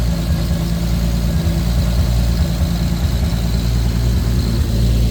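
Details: Lexus IS300 with swapped 2JZ-GTE turbo six, BC 276 cams, on a Fueltech FT550 first start with only a base idle/startup tune, fuel correction under 1%: steady low even idle with a faint lumpy pulse, no knocks or ticks; normal idle.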